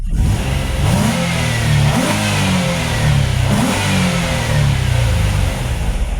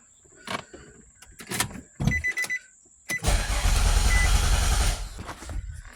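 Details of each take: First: Nissan Altima race car on a test drive after a misfiring coil was replaced with a good used coil from an Xterra: smooth, clean pull as revs climb and ease, no stumble or popping; no check engine light or misfire. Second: Nissan Altima race car with a charging problem, after cleaning and reconnecting a connector: a few clicks then nearly two seconds of steady churning crank that never fires before stopping; crank no start.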